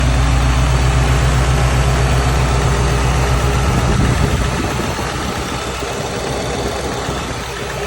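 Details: JDM Subaru WRX EJ205 flat-four idling with a steady low knock, about four beats a second, from inside the engine. Rod knock, piston slap or the timing belt tensioner is suspected; the cause is unconfirmed.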